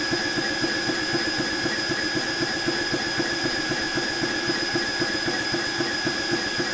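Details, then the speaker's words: Air King 300 Outback compressor on a Ryobi battery filling an FX Impact M4 .25 PCP rifle. Fast, even piston chugging with a high motor whine that turns laboured as the battery runs down and power fades; it cut out after about 7 minutes. "and yeah, I was going to say that was actually sounding a little bit disastrous, and to be fair, it sort of sounds like it's struggling already."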